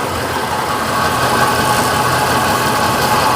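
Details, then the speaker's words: 1956 Chevy Bel Air V8: loud idle with an uneven, lumpy beat; cylinders 4 and 8 not firing, possibly no spark to them. "So we got 2 cylinders on this side that are Okay. not firing."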